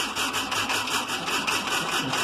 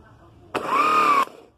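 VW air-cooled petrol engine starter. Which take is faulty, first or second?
first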